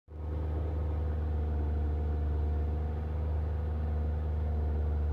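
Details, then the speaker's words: Ford Fiesta MK6 1.4: steady, even drone holding a raised, fast idle that should be under 1000 rpm, and it sometimes surges forward; cause unknown to owner. "this this is too high should be at under one and sometimes it just pulls it just drives you know just puts the power in"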